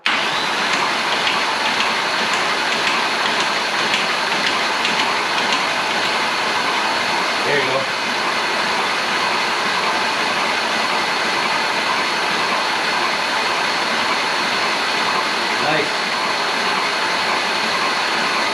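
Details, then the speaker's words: Engine cranking after a new timing chain tensioner was fitted: steady, even starter whir with a faint whine. Slight chain noise at first faded as oil cycling worked the air out of the tensioner, so no chain rattle now. "so after enough time um it applied more tension on the Chain as the air got worked out of it so should be good now guys"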